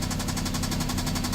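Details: 2012 BMW 650i convertible, 61,000 miles, no check engine light; steady low rumble with a quick even ticking knock about nine beats a second, engine knock of unknown cause, though judged to sound fine.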